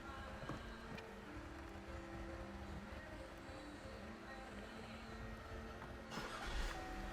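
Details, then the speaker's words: Ford 6.2 V8 with bad MAF sensor, power-braking in drive and reverse: note sags and wavers, shuddering and running rough with no clean pull; stalls about 10 seconds after selecting reverse. Engine bogging under load from faulty MAF sensor. "let me try to power break it now it's bogging down i'm power breaking it and you can feel something shuddering"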